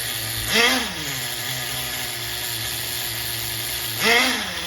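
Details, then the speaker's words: HPI MT2 nitro RC engine after tuning, bottom end leaned and top end richened: idles on one steady buzzing note, now single-stage instead of two-stage, with two quick throttle blips that rise and settle; normal smooth idle. "I leaned the bottom a little and I ripped in the top a little and it sounds like now it's a single stage"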